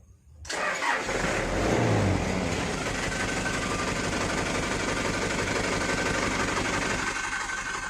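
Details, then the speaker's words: Toyota Dyna 130HT diesel: cranks without firing, then catches only with throttle and runs limping and lumpy with whitish smoke; nozzle and injection-pump plunger wear are suspected; hard starting. "kedengarannya mesinnya pincang, asapnya ada agak-agak keputihan gitu lur ya."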